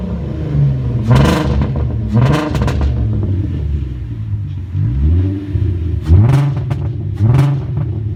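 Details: 2001 VW Golf GTI VR6, cylinder 3 misfire, spark plugs just replaced; owner suspects coil pack or timing chain tensioner: repeated throttle blips rough and stumbling; loses power and sputters under load, mostly 25-45 mph; misfire.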